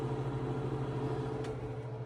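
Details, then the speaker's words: Victron MultiPlus-II 12/3000 inverter under 2 kW wallpaper steamer load, output switched to 60 Hz: fan speeds up, steady low clean hum, even fan whoosh, no rattle; noise suspected from 50 Hz interference with fan disappears; normal. "If I switch this to 60 just temporarily, you can actually hear the fan speed increase and lo and behold, all the horrible ratty noises go away."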